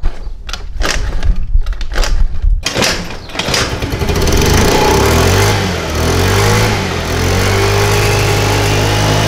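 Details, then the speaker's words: 50cc Tao Tao Chinese scooter, extremely hard to start and won't stay running despite new plug, air filter, carburetor and oil; weak cranking bursts, then catches with a sagging, wavering note; fixed by valve adjustment. "This particular scooter is extremely hard to start. And once it is started, it doesn't stay running."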